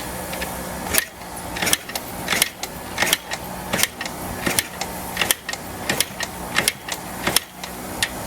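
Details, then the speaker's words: 1984 Yamaha IT490 two-stroke (490cc), long unused, kick-started with choke on; repeated kicks with mechanical clatter but no firing, the engine won't catch. "It's going to need some help. I do believe."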